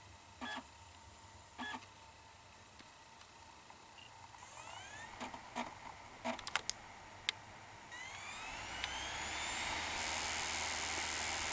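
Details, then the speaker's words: 2009 Mac Mini with replacement TSST Corp (non-Apple) optical drive, Windows 7 DVD inserted: a few short clicks and seeks, then smooth whine rising steadily as disc spins up; drive much happier, normal spin-up. "This drive seems significantly happier about working, let me tell you."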